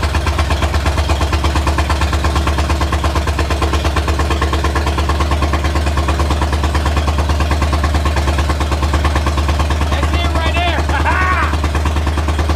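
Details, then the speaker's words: Carbureted project car, started with brake clean, timing set: lumpy but steady idle about three beats a second, no misses or knocks; idling, owner unsure about carburetor or vacuum leak. "let's cut the exhaust vanan on hey it it was idling YouTube it was idling"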